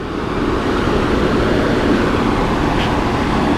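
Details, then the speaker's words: Start-up of a 30-inch Monarch engine lathe in a machine shop: a deep, even rumble swells as the big motor comes to speed, with no knocking or grinding; a normal, healthy start. "We're gonna go ahead and fire it up and hear that iconic sound that it makes whenever you turn it on. I just always remember hearing that echo through the shop whenever you would hit start."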